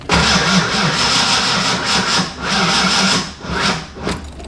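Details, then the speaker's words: Fox-body car warmed by a drive, then shut off and restarted hot, before the new starter was fitted: starter cranks with an even, laboured rhythm for several seconds but never fires; owner suspects heat soak. "still no start i still think it's heat soaked so guess that starter is going in the one that i got and i'll show you in just a little bit"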